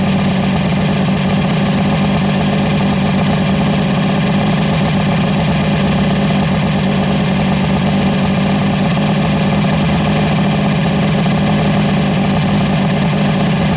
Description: Checked timing with gun... Idling at 1300rpm the timing was out of range of decal and sporadic??